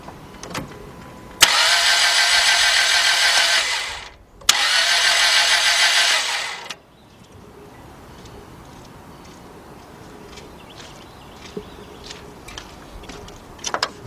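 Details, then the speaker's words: 2002 Dodge Stratus 2.4 cranks but won't start: two bursts of fast, even, light cranking with no firing and no compression rhythm; unloaded spin indicates no compression. "what is that sound no compression exactly guys no matter what kind of injury you got four cylinder six eight that sound is the same"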